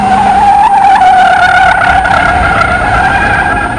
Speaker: these tires are now squalling and they're not doing anything but making noise we've gone beyond the peak Tractive limit and the usefulness of the tires and all we're doing is turning money into noise